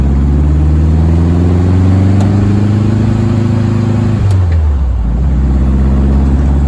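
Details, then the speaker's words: VW-engined Deserter GT dune buggy on test ride after new throwout bearing, pressure plate and disc: engine note climbs smoothly through the gear, drops cleanly on the shift and pulls again; rattle and clutch noise gone. "All right. So, the rattle's gone. Um, and the noise when I step on the clutch is gone, too. Um, so I'm I'm pretty happy with it."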